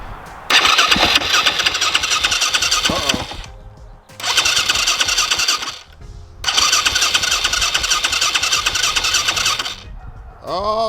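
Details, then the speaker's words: Newly acquired used dirt bike, clutch cable gone: three bursts of fast high-pitched cranking that never catch, and it won't start; cause unknown, fuel possibly in question. "I don't know what's going on, but they didn't want to start there."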